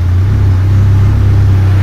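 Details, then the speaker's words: Rebuilt K24 engine in AWD Civic, sequential gearbox in neutral, idling after first start following rebuild: smooth steady low hum with an even beat, no ticks or knocks. Normal idle. "but otherwise everything else is working I'm pretty happy with it right now uh man it sounds good"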